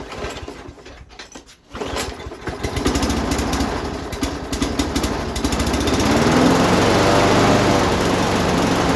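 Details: Lawn mower engine swap, Briggs & Stratton Quantum auto-choke engine after tightening the loose carburetor bowl nut that leaked fuel: a brief start attempt, then it catches and settles into a quick, even putter; running fine.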